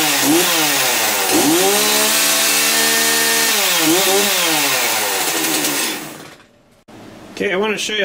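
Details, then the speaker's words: Chainsaw test fire after servicing and chain sharpening, chain refitted: crisp two-stroke snarl climbing and dropping cleanly with each throttle blip, no bogging or misfire; runs healthy. "get them lined back up walk them down and we do a little test fire"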